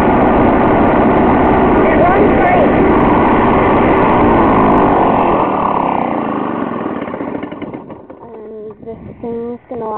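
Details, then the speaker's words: Lawn-Boy two-stroke push mower, likely 1980s, 20-inch cut, cold start after turning fuel on and priming: buzzes along evenly and steadily, then dies away; healthy running. "it runs great I bought it off a guy for 20 bucks um it's a two stroke one booy engine"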